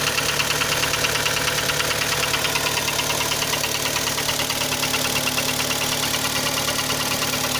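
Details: Kia Sportage 3 engine idling with a steady ticking knock about twice a second over a smooth hum; knock louder cold, quieter when warm, present while driving at low speeds, gone at 60-90 km/h, returns on lifting off and reapplying throttle; cause unknown.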